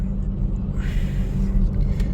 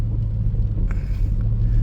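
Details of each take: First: 2004 Toyota Tacoma 4-cylinder, 141,000 miles, at idle after a heat soak: low, uneven, lumpy beat that skips now and then. This is a dead miss on cylinder 1, and the coil pack is ruled out because it was already swapped. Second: 2004 Toyota Tacoma 4-cylinder, 141,000 miles, after repair of a dead misfire on cylinder 1, warm after repeated heat-soak restarts; steady, even low rumble with no skips or stumbles, all cylinders firing; normal running.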